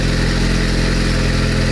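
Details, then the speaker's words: Turbocharged Honda Civic-based Bugatti Veyron replica, first start: loud, steady, even low drone with no knocks or misses, described as sounding kind of decent; normal idle. "Oh, nice! That sounds kind of decent. Kind of."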